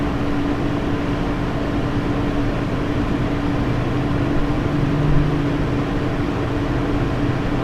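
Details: Lian Li 217 Infinity PC case, stock Lian Li fans at 100% speed: steady rushing airflow with a constant high-pitched "e e e" whine on top; owner blames the manufacturer's stock fan setup for resonance "ghosting" noise.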